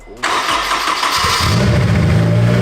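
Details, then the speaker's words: Turbocharged Honda S2000 AP2 with Greddy turbo kit and new exhaust, starting up: brief starter whir, catches at once into a deep, throaty, smooth idle, louder than expected; normal engine start. "The exhaust sounds great. The exhaust sounds really nice. It's actually louder than I thought it was gonna be, but it's like deep and throaty."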